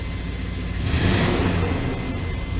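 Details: 1995 Chevy K1500 4x4, 5.7L TBI 350 small-block, knock appeared suddenly: deep rough knocking that swells as revs rise from about 1000 rpm and is worse in gear than in neutral; cause was a flexplate cracked all around the bolt pattern.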